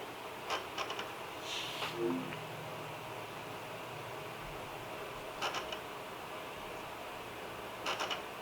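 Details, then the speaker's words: Sony PS2 SCPH-50001 after repair, disc loaded and playing: quiet smooth drive spin with occasional soft seek clicks and whirrs, no grinding or repeated clicking: normal operation. "and just letting it play through, listening to the drive, seeing if there's anything that sounds strange."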